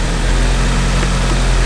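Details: Turbo four-cylinder with an old eBay turbo kit, speed-density tune, just after an alternator replacement, charging 14.7 V: low, steady idle rumble with an even beat and no misses or knocks; sounds healthy.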